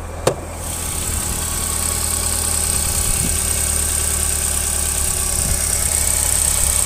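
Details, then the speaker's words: 2013 Cadillac just started, running a little rough at idle with a faint light tapping over the hum; the intake air temperature reads 32 degrees with a 12.5-degree discrepancy; cause not yet found. "it's running a little rough I don't know if you guys can hear that tapping noises"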